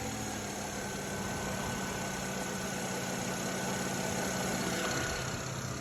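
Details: BMW E93 N54, just over 100k miles, revved to around 2,500 rpm with a faint uneven rattle/knock under a steady hum, heard only between 2k and 3k rpm; owner unsure if pulleys or lifters; cause unconfirmed.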